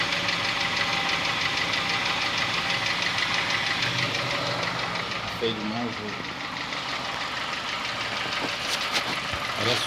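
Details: Honda Fit gasoline engine at cold idle: a rapid clattering tick of roughly three a second, like a diesel Kombi or an old sewing machine, easing slightly once warm; engine knocking at cold idle, cause not yet identified, car in the workshop.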